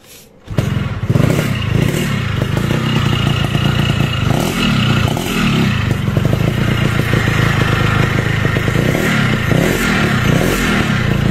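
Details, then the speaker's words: Two-stroke motorcycle running with a gritty, rattling rasp rising with revs from a badly worn crankshaft bearing, needing an engine teardown. Water in the combustion chamber is a suspected cause. "Nah ini ciri-ciri bearing keras kena, ini bunyinya kayak gini, mirip seri-seri blok Y yang original ya."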